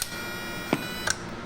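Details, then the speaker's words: PAL 200MDX linear amplifier after a bad ground was fixed, keyed to transmit on low: steady hum with two sharp relay clicks about a third of a second apart, normal switching with sideband delay. "sounds like it's got a delay for sideband too you hear that"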